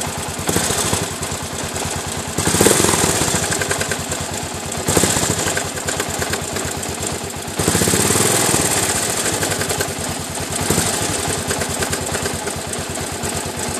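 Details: Suzuki DR 800 big single at idle at night, thumping with a hard, uneven knocking sound from the engine on each beat.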